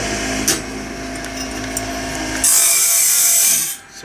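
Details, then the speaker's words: Band blade sharpener and tooth setter cranked by hand after a part was tightened: harsh, rasping, uneven grind on each crank stroke; it grinds more than it should, and the cause is not found. "This is a little more complex than I was kind of expecting it to be. Why is that still grinding so much? I'm a little concerned now."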